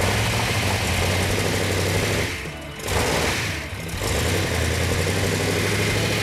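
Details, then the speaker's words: Hemi engine, running after the ignition timing, which was originally 180° out, was corrected. It settles into a steady, even lope with a firm low rumble and no misfire; oil pressure and water temperature are perfect. "that it's running now it's running great we got all the oil the pressure is perfect water temperature is perfect"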